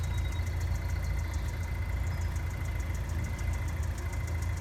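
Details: GM LNF engine right after cold start: light, even tapping/ticking about five per second over smooth idle, goes away once warmed up; source not pinned down.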